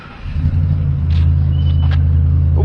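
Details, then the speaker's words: A neighbor's truck passes with a deep, loud, rough low rumble that swells and holds steady. It is thought to be an exhaust leak, though unconfirmed. "neighbor's got an exhaust leak on his truck. That sounds rowdy."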